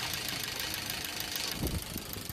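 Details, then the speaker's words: Maruti Swift Dzire with factory CNG, fine on petrol but jerking and misfiring on CNG: sharp, even ticking about six or seven a second at idle from the four CNG injectors; unplugging each in turn finds the faulty one. "टिक बज रहा है अब देखो इसमें से एक-एक करके मैं निकालता हूं इसमें पता चलेगा कौन सा गया हुआ है कौन सा खराब है"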